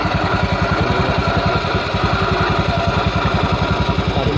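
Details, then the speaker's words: Honda BeAT FI scooter, fairly new but not serviced regularly, idling: coarse, harsh rattle over steady low pulse from the CVT; dry pulley and cracked V-belt found; worn CVT bearing. "Ini motor masih baru tapi bunyinya sudah kasar"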